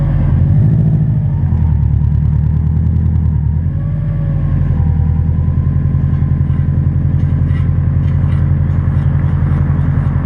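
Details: 2006 Subaru WRX TR front passenger wheel while driving: low rough grinding drone, no clunk when turning, no visible wear; bad wheel bearing, assembly replaced and noise gone.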